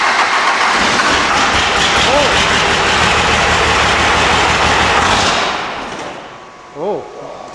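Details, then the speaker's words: 12-valve Cummins diesel after installing Dynamite Diesel stage 3 injectors, with an S369 turbo: cranks and runs loud and uneven. It idles fine but pops and misses when revved; the owner suspects it isn't getting enough fuel for the injectors. "because it sounds like it's idling fine, but when I rev it, it pops. It's almost like it misses."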